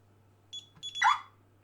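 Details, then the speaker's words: DSC home alarm with section 017 option 8 removed, code entered manually: two quick high keypad beeps then a short sharp siren squawk, the normal car-style arming chirp, also on stay arming. "okay keep in mind guys this option even stay it's gonna chirp okay now if we enter the cold manually it chirps"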